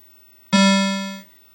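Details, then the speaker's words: Mortal Kombat 2 arcade sound board after cleaning, reseating, a cap kit and a new amplifier: a single clean low tone rings under a second and fades smoothly with no buzz or distortion; normal sound output. "If you listen to this, that is the absolute normal sound that you should hear while it's running."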